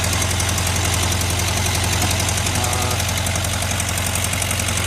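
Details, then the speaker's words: 1973 VW Karmann Ghia, first run after 28 years stored, with new plugs, wires, coil, cap and rotor and an electronic ignition replacing the points: steady idle with a low drumming beat and no misses; idle set a little low, and timing may still be off. "Looks like the idle is set a little low. Timing may still be off, but she's running. There we go. We got a running motor. Sounds good."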